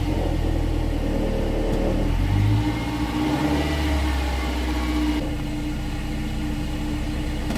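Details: 2016 Subaru Outback four-cylinder, about 80,000 miles, warmed up at low idle in gear, phone under the car: dull, loose metallic buzz over the exhaust drone, rear driver side; likely a failed spot weld on a baffle inside the muffler, muffler to be replaced.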